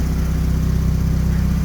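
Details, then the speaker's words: Mazda RX-8 at idle after AC repair with new condenser, vacuum and recharge; compressor rotating, low side about 20, high side a little over 100, air cold; steady engine drone with even compressor hum: normal AC compressor running. "Okay, I can hear the compressor working. Pressure with the full empty bottle is at 20. High pressure is a little bit over 100, and this all checks out."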